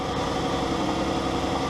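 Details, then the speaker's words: 2012 Dodge Grand Caravan 3.6L idling after TIPM fuel pump relay bypass installed: steady, even idle with smooth low hum, no knocks or misses; normal idle before checking it shuts off. "Everything sounds good. Let's see if it turns off or not."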